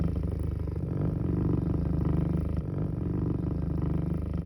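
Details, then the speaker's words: Small servo motor with faulty Sick Stegmann Hiperface encoder feedback running at very low speed: low buzzing rattle as it chatters and wobbles back and forth, the drive unable to find position angle or home. "okay this is the chattering as described it sees the drive cannot figure out the position angle of the feedback device so it is just basically going back and forth it cannot find home"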